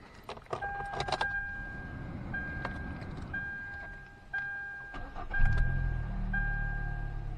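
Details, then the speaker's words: 2013 Hyundai Elantra four-cylinder after new spark plugs fixed a cylinder 2 misfire, battery reconnected: chime beeps and clicks, then it cranks, catches quickly and settles into a steady, even idle with no stumble. "So check engine light is off. Once you take the battery loose, it'll reset itself. So it'll have to re-diagnose it. It'll have to do it. It'll have to have an issue again. The check engine light will come back on, but the car is running smooth."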